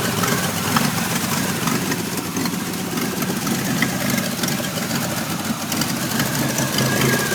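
Engine idles with a ragged, uneven rumble and a wavering beat instead of a smooth steady note; the idle is rough.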